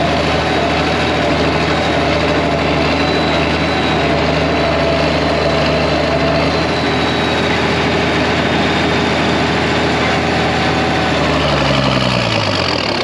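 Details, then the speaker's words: 1966 IH 1206 Wheatland diesel tractor with a freshly rebuilt head after an external head gasket leak, idling while the water temperature comes up before dyno break-in: steady, smooth low drone with no knocks or misses. Normal idle. "it sounds good kind of waiting for the that water temp starting to come up"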